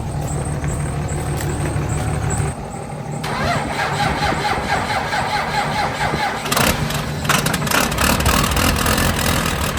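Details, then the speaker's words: Lifted Cummins diesel truck, unstarted for about 2 months, in cold weather, failing on jumper cables and now on jump boxes giving 48 volts; long slow crank before it reluctantly fires into an uneven, loud idle; hard start, owner suspects the cold. "So all we can do is hope that it starts. I think it will, but there's a slight chance that it's too cold, and it'll just be living outside for the next 4 months until the weather gets above 20 degrees."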